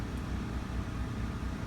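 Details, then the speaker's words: RV generator running a Coleman Mach 15 15,000 BTU roof air conditioner fitted with a Supco SPP6 hard start capacitor: with the fan already on, compressor kicks in, voltage dips to 60s–70s then settles; steady drone, no hunting or bogging, running normally under load. "you can see the fan was already running compressor kicked in it dropped down you know 60 or 70s somewhere around there um and then it's settled back down at 1 116"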